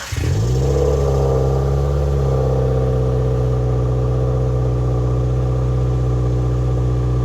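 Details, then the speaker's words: Subaru WRX, mostly stock with Cobb OTS stage 1+ tune, intake cover and ducting removed: cold start fires at once, brief flare, then steady quiet fast idle, no knocks or rattles; normal cold start. "So, as you can hear, the cold start is pretty quiet, and we intend on keeping it that way."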